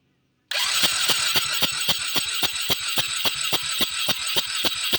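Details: Xpro ATV 125 that has run one tank of 93-octane fuel, valves not yet checked. A steady, rattly crank at about four beats a second with faint firing pops, but it never catches and runs on its own; fires but won't start.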